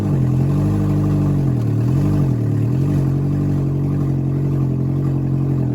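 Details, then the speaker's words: Junkyard Nissan Altima coupe started on a borrowed Civic battery, exhaust and front components not hooked up: loud raw idle dips and recovers going into gear but never revs; no throttle response in gear, owner suspects the disconnected parts. "so the car started up and I got a little bit of response when I put it in gear but the throttle pedal is not responding at all"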